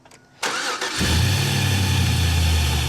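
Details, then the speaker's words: '98 Chevy Blazer 4x4 with swapped used LS1 engine: short crank, catches cleanly, settles into a steady, even, deep idle with no misses or knocks; healthy. "sounds like the LS approves of its new jam-packed dig."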